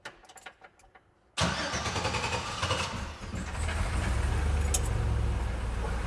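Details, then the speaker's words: Custom 2015-built hot rod Jeep after sitting about 8 months, new battery, octane booster added to old gas, cold start: a few quiet clicks, then it catches at once into a strong even idle; sounds like it wants to run. "So I think it's pretty good. It sounds like it wants to run."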